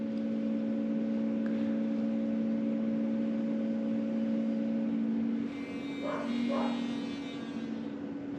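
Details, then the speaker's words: Land Rover Discovery 3/4 2.7L TDV6 diesel, chassis 7A000001 onward, after fuel filter change: ignition on, engine off, steady electric lift pump hum priming the new filter before stopping; normal priming, repeated four times. "<b>So I can definitely hear it moving some.</b> <b>Still making sound.</b>"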